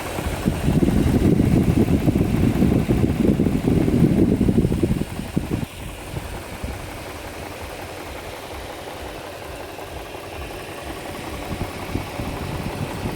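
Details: 2004 Infiniti FX35 engine: hard revving for five seconds then dropping to idle, with a quick regular tapping running through it; abnormal extra mechanical noise, cause unclear.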